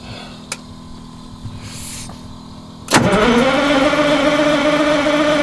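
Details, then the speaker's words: Old bus on a cold winter start, block heater not plugged in: a quiet crank, then it catches around three seconds and settles into a steady, rising drone; a hard cold start that fires. "I have a feeling that in cranking her over I'm going to have to give her a little bit of a throttle"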